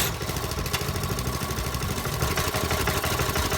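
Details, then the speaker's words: Marketplace lawnmower small engine run with governor spring removed, before dirt and no-oil tests, after water was run through the intake; uneven rattling knock about three a second over rough running; knocking suspected, cause not confirmed. "Sounds like it's knocking."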